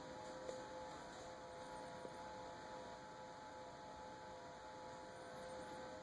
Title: Samsung fridge making noise